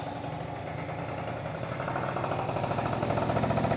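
Small two-stroke scooter idling with a steady, rapid buzzing beat and no metallic jingle; the exhaust sounds solid and healthy.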